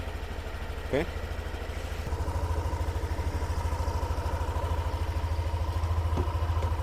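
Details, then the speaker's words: Yamaha Aerox Connected scooter after engine rebuild for noise from running out of oil, TPS checked and ISC reset, battery 11.8 V: steady, even idle with no ticking; engine now smooth and healthy. "Suara mesin juga udah adem ya."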